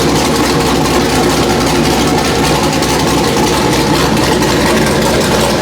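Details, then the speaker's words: Factory Five Mark 4 Roadster build engine on the run stand, last firing before removal and install into the chassis: loud raspy steady exhaust at fast idle, even beat, no misses or knocks; normal running. "So I wanted to hear it. Everything still runs great. Sounds really nasty."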